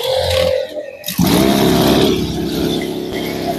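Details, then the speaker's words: Small two-stroke crop sprayer engine started: it catches and settles into a smooth, even buzzing run without misses or knocks; normal running. "Jadi suara halus, Bro. Ini saya coba saya hidupkan. Ini untuk mesin suaranya halus."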